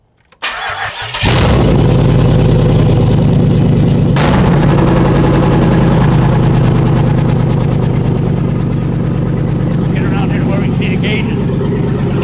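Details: LS V8 swapped into a rear-wheel-drive Celica GT-SS, first start in the car with no belt fitted, no coolant expansion reservoir and looped hoses: the starter cranks briefly, then it catches and settles into a steady, even, deep lumpy idle that sounds healthy.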